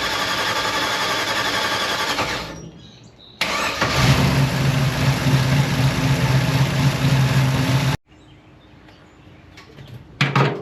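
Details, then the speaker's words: Abandoned small-block Chevy V8, first start: catches and runs rough for a few seconds, then cuts out as if running out of fuel, possibly not yet warm. Stumbles and dies; carburetor accelerator pump suspected not working. "it's almost like it's running out of fuel which is interesting wonder if we built any heat in it yet"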